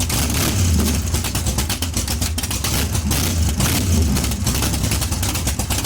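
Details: Chevy 454 big block in a barn-find T-bucket hot rod with both baffled exhaust tubes removed, no torque converter: loud, deep, steady V8 rumble with a crisp, even pulse and no misses on open exhaust.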